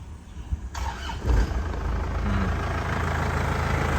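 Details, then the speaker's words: 2003 Isuzu Panther Touring turbo diesel, manual: brief crank, then a steady, even, crisp diesel idle, stable with no misfire or knocks and no smoke; normal start and idle. "Suaranya masih renyah. Enak ya. Mesinnya juga stabil, tidak pincang ya."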